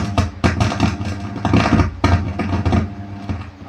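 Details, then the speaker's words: Class AB power amplifier with SOCL506 drivers at first power-on: irregular loud crackles and pops over a low hum, settling after a while as the amp returns to normal; abnormal noise traced to the channel B driver, before repair. "Jika awal pertama power on bisa didengarkan. Jadi ini terjadi beberapa saat untuk suara gretek-getek ini. Jadi ada suara noise yang tidak normal."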